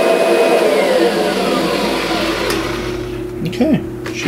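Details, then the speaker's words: Kirby Sentria vacuum after impeller replacement, loose carpet having stalled the brush roller: steady motor roar with brush hum over carpet, even and smooth without rattles or grinding, running healthy. "it's a fantastic machine though yeah this thing is doing a great job"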